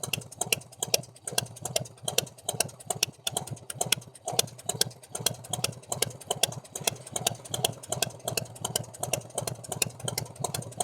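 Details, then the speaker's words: 1990 Harley Fatboy V-twin with new S&S Super E carb, after tuning ride, warm; loping, fairly smooth idle with crisp ticks, idle perhaps a bit low; some valvetrain noise when hot, owner hopes rocker arms (lifters already replaced); normal idle. "Sounds fairly smooth to me. Maybe use idling a little higher."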